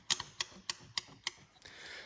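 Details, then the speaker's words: Range Rover Classic 2-door Suffix A diesel under restoration, fresh diesel added: about five sharp light clicks, roughly three a second, while hand-priming the fuel system, with no fuel drawn; the system is not priming. "so as you can see that was basically me uh just putting uh 20 quid worth of diesel in and having a go at manually priming the uh fuel system"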